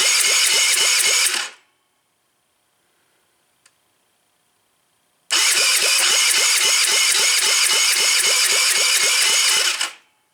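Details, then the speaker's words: Taotao, partly disassembled, oil full, choked, fuel reaching carb: two bursts of steady even starter cranking about four turns a second, never catching; feels low on compression, possibly a burnt leaking valve. "Still nothing. We're getting gas to the car, that's for sure. Well, let me try kicking it. Maybe that'll get it going harder. This doesn't feel like it has much compression."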